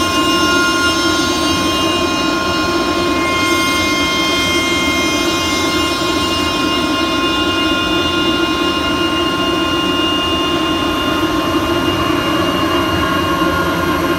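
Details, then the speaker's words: Screw air compressor at startup with fresh clear synthetic oil, after an earlier episode of air flowing backward: a steady high whine over an even air rush that settles after a second or two. Normal. "See the air blowing out the right way, and you hear the whine sort of settled in after a second or two there. So anyway, maybe I'm not losing my mind."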